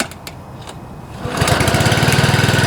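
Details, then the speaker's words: Honda HR215 5.0 hp mower engine (GCV-type) rebuilt after over-revving, with new governor gear, mainshaft seal and sump gasket and plastic debris removed, throttle cable readjusted: quiet pull rattle, fires first pull and settles into a fast, even single-cylinder beat. "First pull. Sounds good."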